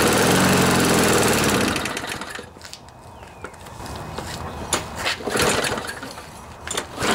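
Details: Briggs & Stratton mower engine after bent blade and sheared flywheel key replaced, left in rain overnight (possible water in it): catches and settles into a steady, even single-cylinder run, no knocking or misfire; normal running after repair.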